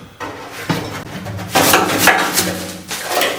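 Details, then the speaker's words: 1966 Ford Mustang fuel tank, dried out: loose, gritty clatter in uneven bursts as the tank is shaken, with a duller knock from the float; rust flakes rattling inside, so the tank is being replaced. "here all that crud loose crud that's all rust flakes that flaked off the inside of the tank and there's nothing I I can do to treat it so it'll stop that it's just going to continue"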